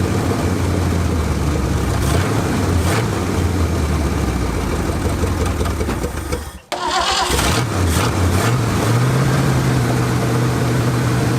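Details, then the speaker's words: Classic Ford Galaxie V8 parked five years, only new spark plugs and fuel pump: engine rumbles, briefly stumbles, then catches and settles into a steady idle with slight rise; normal start and idle. "Running pretty good. Sitting here just idling. Fuel doesn't look too terrible."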